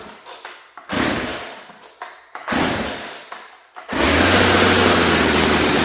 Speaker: that actually runs really really good i got some smoke in here now but okay that's awesome so we know this one runs